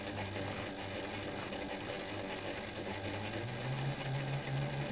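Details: Reliable SewQuiet 6000SM servo motor on a Juki DDL-8700 industrial sewing machine with no oil in it, recorded up close: quiet smooth hum at very slow speed stepping up to a higher, even tone when faster; running healthy.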